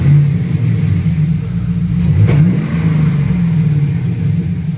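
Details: 2008 Chevrolet Silverado V8 with stock manifolds, new Y-pipe/catalytic converter and new welded 3-inch exhaust with chambered muffler: deep smooth rumble swelling on each throttle blip and settling evenly; normal revving.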